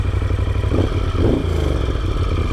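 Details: Moto Guzzi 1200 Sport, around 49,000 km, just started: twin settles into a firm, even low beat with a slight blip, no clatter or misses; sounds healthy.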